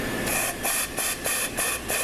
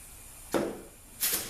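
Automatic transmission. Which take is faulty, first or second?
first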